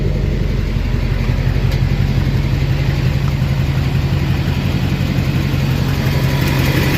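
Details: 2006 Chevy Silverado LBZ Duramax diesel, DSP5 tune (tunes 2 and 4 give ~10% vane position for rumble), new 5-in exhaust with minimal Diamond Eye muffler: deep steady rumbling idle, even beat, no knocks or misses; normal.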